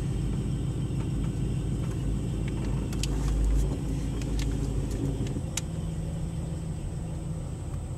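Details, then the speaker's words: Pontiac G8 GT V8 with Kooks 1-7/8 in LT headers, an X-pipe and a Vector Motor Sports tune idles stopped with brakes on: deep, uneven, loping rumble; rough idle plus some rattling of unknown source. "so there's a rough idle."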